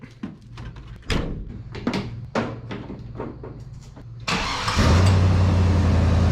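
Some clunks, then the engine fires into a heavy, boomy, raspy idle that is too loud and open, which fits a blown-out muffler.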